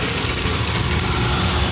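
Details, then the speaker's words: Rebuilt Kelly Duplex 3-ton horizontal paddle mixer, planetary gear worn but at normal temperature: steady even churn with a light hiss over a low drive rumble, no irregular noises; hammering nearby is shop noise; running normally. "Unit hums right along. Again, there are no irregular noises."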